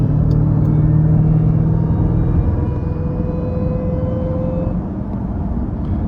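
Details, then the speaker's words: Trackhawk on the highway, in-cabin: steady drone with a thin, clean supercharger whine that rises slightly with speed; normal whine, heard just after an unexplained pop the owner hopes wasn't his 360 camera. "Whine just sounds so good. I could just listen to that all day."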